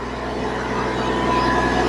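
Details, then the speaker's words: Hyundai i10 diesel, after EGR valve and manifold cleaning for black smoke: diesel clatter rises smoothly as engine revs, pulling cleanly without stumbles or odd noises; starts and runs correctly, healthy. "വണ്ടി നല്ല starting working ഒക്കെ correct ആണ് കണ്ടോ വേറെ വലിയ കുഴപ്പമൊന്നുമില്ല"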